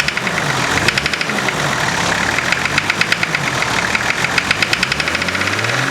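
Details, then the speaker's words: 1991 Nissan Patrol GQ TD42 naturally aspirated diesel, previous owner said it ran low on oil and now has a rod knock: sharp evenly spaced knocks over idle, quickening as revs rise; heavy bottom-end knock suspected, unconfirmed. "so yeah you can hear that knock but if you rev"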